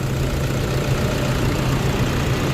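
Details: Toyota Vigo 2KD diesel at 300,000 km, test run after its second timing-belt replacement: steady low idle with a smooth, even beat and no knocks or rattles. Normal idle.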